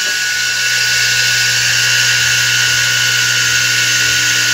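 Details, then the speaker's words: Single-phase motor with contactor reversing start (16 A at 220 V, 32 A at 110 V) running with a steady high hiss and whine over faint hum; current normal, bad bearing. "A corrente do motor... É, em 220 é 16 amperes, em 110 é 32. Vou mostrar para você a corrente que tá normal. O rolamento que tá ruim."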